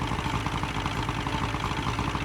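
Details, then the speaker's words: Boat outboard started after a new tachometer and fuel gauge were fitted and a broken positive cable was traced: steady, even idle with a light mid-pitched burble, no knocks or misses. Runs fine. "Bert, why don't we go ahead and fire it up and see how she runs? Okay. Well, it appears to be shipshape, Bert."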